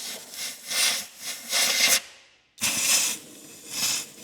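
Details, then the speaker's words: 1954 International R110 pickup, parked since 1968, possibly a 220 engine: short hissing bursts about once a second as compressed air pushed into a cylinder blows back out through the open intake valve; exhaust believed plugged by mice. "And it's going through the intake blowing out that cylinder cuz the intake valve is open on that one. That's definitely tied to the intake."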